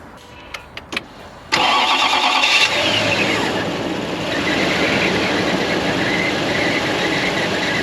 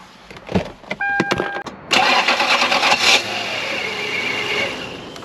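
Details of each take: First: Toyota Land Cruiser 4.7 V8 after the starter was replaced to cure a strange noise on starting: starter catches quickly and the engine settles into a smooth, even idle with no grinding or whine; healthy start. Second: Toyota Land Cruiser 4.7 V8, microphone under the hood at start-up: harsh, rough grinding and whirring while cranking before the engine catches; failing starter motor, which sits under the intake manifold and needs replacing.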